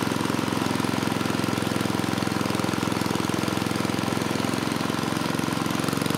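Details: Tecumseh 3 hp (HS35) single-cylinder on mid-1980s Troy-Bilt Junior tiller hammers at a high, fast, unrelenting speed with no hunting down. Governor not holding revs; owner suspects it is broken inside the engine, or possibly out of adjustment.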